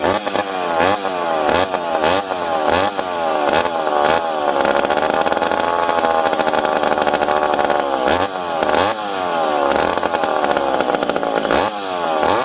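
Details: McCulloch PM700 chainsaw, freshly ported, first start after refitting fuel tank and priming fuel pump: revs up and down crisply with throttle, no misfire or bog; runs healthy.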